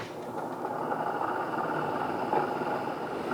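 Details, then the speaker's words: Honeywell air purifier fan after fixing its rattle by cleaning and gluing around the edges: steady even whoosh of airflow, no rattle or ticking, far quieter than before. "It's definitely way, way, way quieter than it was. Heck yeah. Okay. So much quieter."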